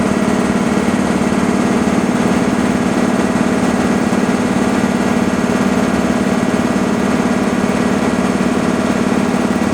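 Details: Breathing-air compressor sequencing SCBA storage banks 1, 2, 3 toward 6,000 PSI: steady, even piston chug at about three beats a second, no knocks or squeals. Normal compressor running.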